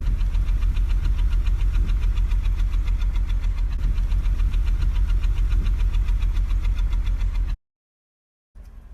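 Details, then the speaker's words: 2007 BMW 325i E90, non-running seven months, alternator replaced, fourteen DME faults: deep, lumpy exhaust pulse at idle recorded at the exhaust, about three or four chuffs a second, several cylinders misfiring; ignition coils suspected, being replaced. "Was finally able to get it start, but it's still having misfires. It starts fine, but I don't know if you'll be able to hear the misfires."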